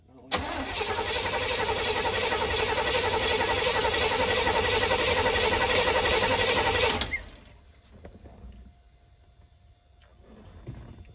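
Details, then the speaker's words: Chevy Hi-Cube van (stated as 1985 or 1986), ex-police unit, fuel fed from a boat tank via a pump: steady starter cranking for about seven seconds, engine never catches; carburetor not getting fuel, line seems plugged – crank no start, fuel starvation. "Fuel pump is filled the carburetor too, and it does not appear to be working from there. Yeah, this thing just is plugged."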